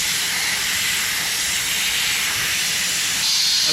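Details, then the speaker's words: International 4900 truck air brake parking valve leak: steady high unbroken hiss, air escaping around the valve stem; slowed after tightening a loose screw but still leaking; valve to be replaced. "Okay. It's not leaking as fast, but there was a screw loose right here. A screw loose. Yeah. Plenty of those. So, yeah, it's coming out around this stem right here."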